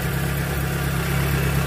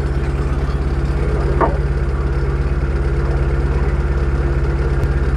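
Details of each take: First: Proton Wira petrol engine idling after repair of misfire/stumbling (semput) that appeared when warm or at speed; plug wires refitted, rpm needle steady, earlier vibration now gone; even low hum, normal smooth idle. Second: Proton Wira petrol engine, warm after about 5 minutes of driving or when driven fast, idles unstably with a slightly uneven, stumbling pulse (semput).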